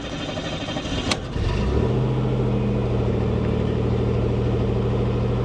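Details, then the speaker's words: 1988 Chevy Cavalier Z24 cold start after sitting 3–4 days: brief crank, catches at once, settles to smooth even high idle just over 1,000 rpm, oil pressure about 60 psi cold, charging; service engine soon light on; runs perfect. "wow it fired right up it it runs perfect no joke it's got a quarter of a tank of gas oil pressure is right around what is that around 60 60 PSI cold voltage is charging idle currently high idle sitting at just over 1,000 RPM"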